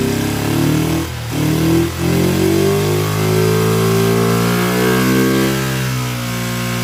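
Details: Kawasaki Ninja twin on project restoration, just fitted fuel splitter with temporary fuel line to both carburetors: revs up and settles with uneven, lumpy beat and wavering pitch; rough running, carburetors suspected, not confirmed.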